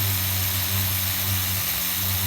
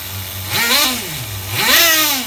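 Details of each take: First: HPI RS4 Nitro F150 pickup RC truck glow engine on 16% nitro, leaned toward race tune with idle gap closed, around 190°F: steady buzzing idle with uneven burbling low end, still slightly rich at bottom, then cuts off. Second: HPI RS4 Nitro F150 pickup RC truck glow engine on 16% nitro, retuned after overheating to ~350°F: crisp high-pitched blips rising and falling cleanly with throttle, no sag between revs; well tuned.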